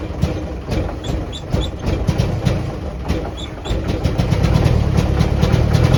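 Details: 1949 Jeep CJ3A hard start and rough running after sitting since last fall, despite new coil, points, rotor, cap, clean plugs, fresh fuel and two-year-old carb. Lumpy idle with irregular low thumps about three per second; owner suspects points or a stuck valve.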